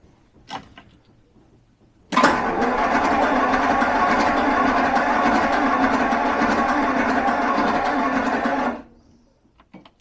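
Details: Carbureted Jaguar V12 XJ12 after sitting six years and running on only 7 cylinders, choke on, timing likely off after reassembly: rapid even starter churn for about seven seconds without firing; extended cranking, no start, suspected no ignition.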